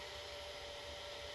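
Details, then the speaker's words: Late-1980s Samsung VT7253CC mono VCR fast-forwarding: steady, even high whir with a faint constant tone and no rubbing or chatter; forward and rewind working well, pinch rollers soft, heads clean, normal tape transport. "forward and rewind and everything in here seems to be working wonderfully the pinch rollers nice and soft"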